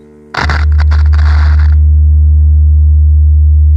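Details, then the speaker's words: Wurlitzer Magnavox jukebox loudspeaker after reconing, playing a test tone: clean, steady low tone with no buzz, rattle or scraping, much clearer than the distorted unreconed speaker; healthy loudspeaker. "much clearer okay you can hear a difference a straightaway here it that one good one"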